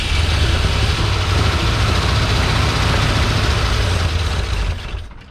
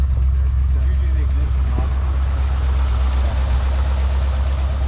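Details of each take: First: Long-abandoned 1971/72 Ford Mustang in a wrecking yard, fed starting fluid: catches, runs ragged a few seconds, then dies, sounding out of fuel; later run on a new fuel line into a jerry can, fuel pump suspected. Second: Long-abandoned 1971/72 Ford Mustang V8 at idle, no smoke except under heavy acceleration: steady deep rumble, even firing, no knocks or misses; runs well.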